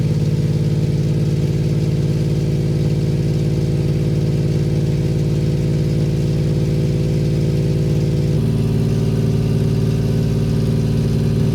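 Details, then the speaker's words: 1993 Suzuki Carry mini truck, small three-cylinder idling steadily after replacing the rotted, likely original exhaust with an aftermarket muffler and flex pipe; deep, smooth drone, more enjoyable than the raspy old muffler, no ticks or leaks. "got a pretty deep tone to it uh it's kind of a more enjoyable deep tone than the raspy old Muffler though"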